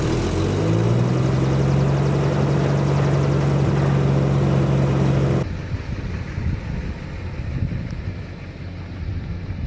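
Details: 1950 Chevy started after sitting four years: old inline six holds a steady low idle with an even beat, then the note drops off and it runs on quieter; normal idle.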